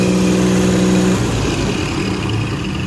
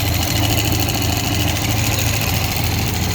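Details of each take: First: 4.3 engine after tightening to fix a knock: runs and revs evenly with no knock, only a faint steady power-steering whine on top. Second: 4.3 engine knock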